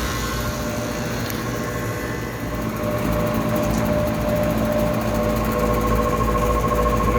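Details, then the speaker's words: Old Lennox HVAC condenser, quarter-horsepower single-phase fan motor (1.1 full load amps), felt tight, running at about 80°F indoor: steady hum with dry wavering whirring rumble, worn fan motor bearings, motor likely needs replacing. "bearings don't sound good i think that motor's gonna have to go"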